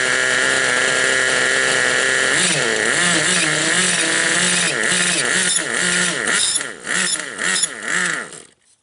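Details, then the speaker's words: Raptor 30 gas-converted RC helicopter: high buzzy engine note with whine wobbling about twice a second; owner unsure if clutch or main gear, asks whether main gear should spin with engine stopped. "Hey guys, I'm getting a funny noise out of this. I don't know if it's the clutch or the main gear. Is the main gear supposed to spin without the motor going? Is this where I'm getting the noise from?"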